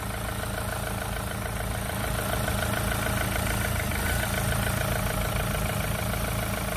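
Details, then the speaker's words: Renault Clio 3 1.5 dCi 85 hp diesel, 300,000 km, after the alternator was refitted: even idle clatter with no whine or rattle from the accessory side; the noise is gone, confirming the alternator was the cause. "c'est bon c'est bon c'était bien l'alternateur"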